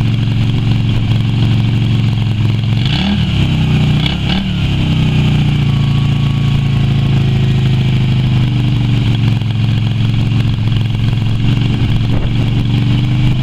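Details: Yamaha Virago XV250 V-twin after six years in storage, oil topped up but not changed: loud, uneven idle with a couple of stumbles and early throttle blips, running rough.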